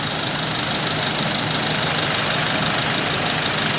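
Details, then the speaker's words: Isuzu 1.9 diesel pickup, 100,000+ km, oil breather vented to ground since new, catalytic converter replaced with pipe, 3.3 final drive, heard outside at idle: steady even clatter, quiet and normal. Normal diesel idle. "แต่ก็อยากจะฟังเสียงเครื่องข้างนอกกันนะครับเสียงก็ปกตินะ"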